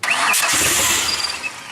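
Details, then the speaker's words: Ford Explorer, first drive after reassembly: sharp crackling roar on firing, then harsh raspy unmuffled idle, very loud because it is running without the exhaust. "yeah running without the exhaust it's so loud"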